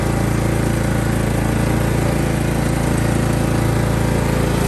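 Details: Kohler CV460 single-cylinder engine on 28-year-old Simplicity mower, after carb rebuild, new fuel pump, head gasket replacement and oil change: steady, even thump at constant speed with no knocks or misses; running normally.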